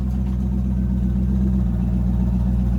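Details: 2004 C4 Corvette LS1 V8, about 40,000 miles, first start after replacing the failed, likely factory fuel pump following a wreck rebuild: low, steady rumble at a settled idle with no misses or surging; running healthy.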